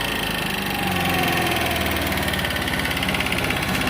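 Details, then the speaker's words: GY6 scooter at idle, weak battery: light rapid top-end tapping, about three per second, over a steady idle; checked with stethoscope and judged normal, cause not pinned down; idle needs turning up slightly. "Oh, you hear the engine tick. It's just got ticking. I went through it with my stethoscope. It's normal."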